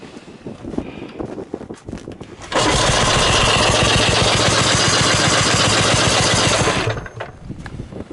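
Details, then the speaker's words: 1979 HTZ T-74 tractor, first start at -8 °C with decompressor on and carburetor flooded; engine sputters, runs fast and even about four seconds, then dies; thick cold oil makes it reluctant to run. "Ta on kange külmaga kõik see õli, sellepärast ta ei taha hästi käia, ma tahan soojamaks saada."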